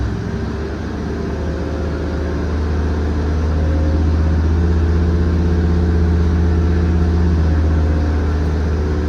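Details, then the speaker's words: Freshly rebuilt Ford FE 390 V8 with Aces EFI, on engine dyno, fires right up: deep even rumble with steady beat, no knocks or misses; healthy engine. "Fires right up now."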